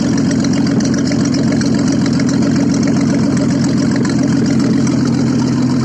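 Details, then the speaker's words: Audi first started after repair, running without exhaust: loud, raw, even idle with steady quick firing beat, no misses; runs smoothly, just noisy. "работает без выхлопа."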